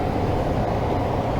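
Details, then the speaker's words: Tempstar furnace ECM variable-speed blower motor, after a burned-out thermistor in the motor's control module was replaced, run on the summer fan switch: steady, even whoosh with a low hum, no rubbing or ticking; blower running normally. "the summer fan should come on oh here it goes and we're in business fan is now running if you can hear it or not"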